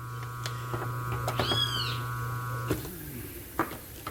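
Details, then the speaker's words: 127 V motor on an oversized 250 V run capacitor: a heavy, steady mains hum for about three seconds, then cut-off and fade with clicks. Current is 4.6–4.7 A with about 4 A in the auxiliary winding, enough to burn the motor quickly. "Pode ver que o barulho dele já aumentou. E a corrente foi para 4,6, 4,7 amperes. Na auxiliar foi para praticamente 4 amperes."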